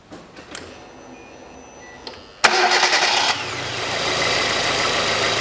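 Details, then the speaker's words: Hyundai Accent 2006, 1.6 petrol, manual, with a corroded camshaft sensor. Hard start needing a long crank, catches abruptly, then an uneven, slightly lumpy idle with occasional exhaust pops. "заводится тоже плохо заводился буквально с толчка здесь приходится крутить на час"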